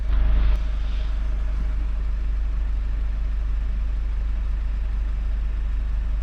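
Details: 2017 Mazda 6 2.2 Skyactiv diesel, after turbo divert valve repair and successful DPF clean and regen that cured low boost pressure; steady, even low rumble at idle with no knocks, misses or whine, running smoothly with no fault codes.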